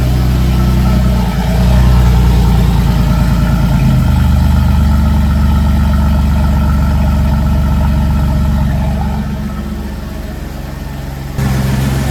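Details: Mercedes E55 AMG with long-tube headers and stock resonator: engine catches and settles into a deep, steady, even idle with no misses or knocks, a normal startup.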